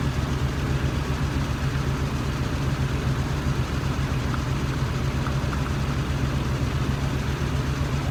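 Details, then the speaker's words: 1993 Nissan D21 Hardbody 3.0 V6 at a lumpy, uneven idle. Pulling one spark plug wire leaves it running the same, so that cylinder is misfiring, traced to a gummed-up fuel injector. "see i pull off the spark plug wire and it still runs the same so i know that's an issue"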